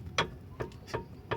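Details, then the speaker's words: Car stabilizer bar levered upward with an iron bar, engine off: sharp metallic clunks about every 0.4 seconds; the stabilizer link has excessive play, its rod moves too easily, and it needs replacing. "Esse barulho significa que ela está com muita folga e precisa ser substituída, tá ok?"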